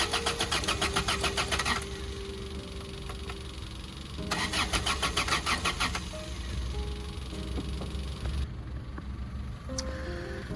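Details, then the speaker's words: Toyota that will not start, on jumper cables from a Honda, intake open with brake parts cleaner sprayed in, heard from outside: two strong bursts of fast even cranking with no catch or firing, the Honda idling in the background; crank no start. "right so hopefully you guys heard it um I know the Honda is kind of loud so it it might have picked it up but hopefully you guys heard it trying to crank sprayed it"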